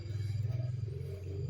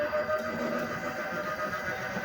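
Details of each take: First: LG single-tub washing machine set to spin only, drain motor normal: drum spins but wobbles, low motor hum throbs unevenly, then the sensor trips protection. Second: LG single-tub washing machine on spin only after retightening: drain motor normal, drum spins true with steady even mid-pitched hum, no wobble or thumping; repair successful, normal spin.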